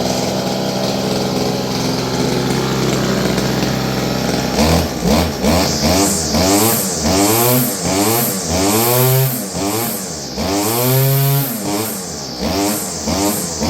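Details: Roughly 30-year-old Stihl FS56 curved-shaft two-stroke trimmer runs steady, then revs swing up and down in uneven surges every second or so. It is surging and fading, seemingly from fuel starvation; dirty fuel and air filters were found.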